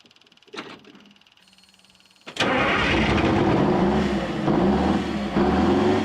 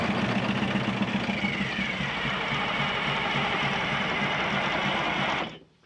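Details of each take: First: 1979 GMC Astro cabover, 8V92 2-stroke Detroit diesel that sat 7 years, first start once the fuel system was full: after a couple of clicks it catches and settles into a steady, even drone with a low pulse, running healthy. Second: 1979 GMC Astro cabover with an 8V92 2-stroke Detroit diesel, sitting 7 years, with gas down the intake: fast, even cranking chuff about four beats a second that never catches; fuel lines dry, no fuel delivery, tank pickup suspected.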